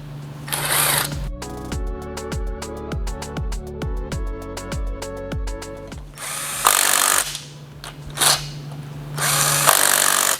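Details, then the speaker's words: Hemi engine cylinder head install, head bolts run down with impact before the torque sequence: quick even impact rattles, about four per second, each bolt seating smoothly without hesitation, confirming the head surface is flat and flush. "can hear how cleanly all of those went down, so we know for a fact that our head surface is nice and flat and flush, and we can continue on."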